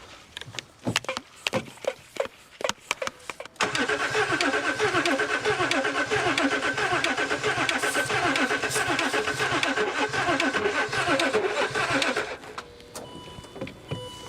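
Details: L320 Range Rover Sport non-runner, brake cleaner sprayed into intake as it seemed not to get fuel, on jump pack: a few clicks then about eight seconds of even churning near four beats a second, never catches; crank no start.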